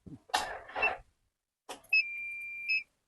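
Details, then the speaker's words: Toyota Innova with weak (lightly failed) battery, 3 hours after adding battery repair fluid: brief cough-like noise then a steady high beep about a second with no cranking; start fails, later jump-started. "Gagal, Teman-teman. Wah, ternyata 3 jam kita biarkan juga gagal."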